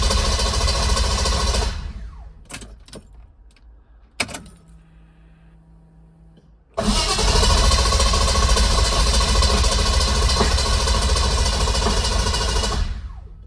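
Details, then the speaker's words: M117E55 V8-swapped Mercedes W115 240D during rewiring: even starter cranking about three and a half beats a second that never catches; no start because of a forgotten ignition cut switch (immobilizer/flood switch) left on. "no dice. Interesting. Another throwback. I forgot that I had a switch in there for ignition cut, kind of as an immobilizer, but also mainly for when we flood it."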